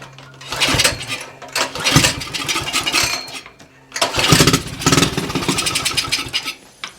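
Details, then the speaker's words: Axis M200 196cc mini bike that would not run, fired on carb spray: two short, ragged bursts that die away. Fuel flow to the carb was confirmed, so a clog in the carburetor is suspected. "And if there is fuel flowing to here, then more than likely we've just got something stopped up in the carb."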